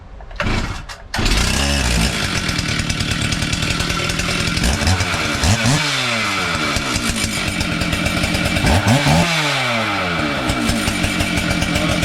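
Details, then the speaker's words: Stihl 044 chainsaw, first start after full rebuild, on the bench with chain brake on: catches after a couple of pulls and revs cleanly, crisp and even; runs normally. "so starts seems to run nicely."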